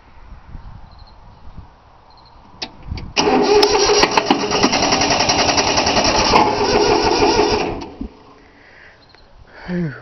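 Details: 3-cylinder Yanmar diesel cold start after repeated glow plug heating: steady starter cranking for about five seconds with no firing or catch, then stops; fuel lines weren't bled, so air in them, though it usually starts right up.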